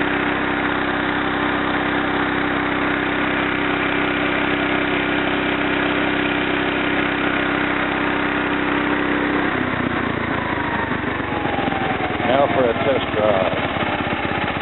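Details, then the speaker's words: Kohler K241 single-cylinder in a Wheelhorse C-101 after head gasket replacement, carbon cleaning and tune-up, throttle turned up to high: steady putter climbing in speed and pitch, smooth and even; normal high-throttle run, owner suspects slight intermittent miss remains. "One thing that I did not do for you all, I did not turn it up on high, so let's give that a shot."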